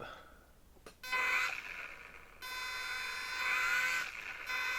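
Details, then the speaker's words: HobbyZone Champ electric micro RC plane bench test, held by hand: high electric motor whine steps up in pitch and loudness as the throttle opens; runs smooth and even. "So now let's try the throttle. I'm going to hold on to the airplane here, and we'll move the throttle"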